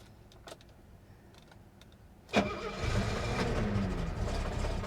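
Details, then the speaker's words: 1970 Mercedes-Benz 250 (W114) at a Copart auction: faint ticks and clicks while cranking, then a sharp catch at about two seconds into a rough, building idle; hard starting, cause unknown. "Oh, this is it. Come on, little girl. Yeah, she wants to start. She sounds good."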